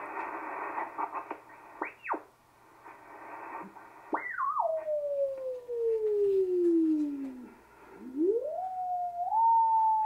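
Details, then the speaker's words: ICOM 751A ham radio in sideband mode during PLL repair (distortion reported on the upper bands): sweeping whistles while tuning the signal generator, then a single steady clear carrier tone drifting slightly as the generator warms up. Clean carrier tone. "a tone is nice and pure which is what we should hear from a carrier we should just hear a nice pure tone"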